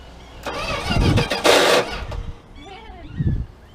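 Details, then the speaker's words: 1979 Dodge D100 Adventurer pickup, cranking on starting fluid with a weak battery: brief sluggish, dragging, uneven cranking bursts, no start; starter drive getting tired, slow cranking, no fuel yet reaching carburetor. "Starter drive's getting tired."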